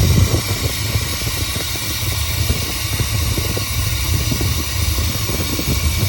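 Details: Rebuilt Chevy small-block 350 V8 with a new distributor, started for ignition timing: deep, lumpy idle with uneven thumps and a shaky rhythm. A bad camshaft caused the rough running and was fixed by replacing the cam.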